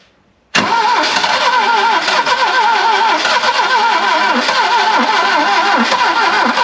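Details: Barn-find Saab 99 first start after ignition coil trouble: catches straight away, settles into fast, slightly lumpy but continuous idle, no misfire or stalling; starting and running normally.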